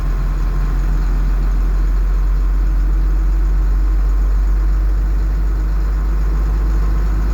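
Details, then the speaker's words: Bus 147 diesel on a freezing morning after cold start: deep, steady rumble held at a raised, even speed with no misses as it goes into high idle; normal cold high idle. "idle I guess this 147's way of signing off for this video"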